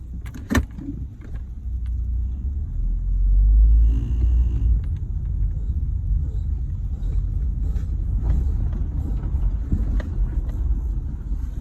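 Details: Ford Territory wheel noise: a deep rumbling drone from the wheel that swells and eases as the car rolls, with a faint beat in it, under light road noise.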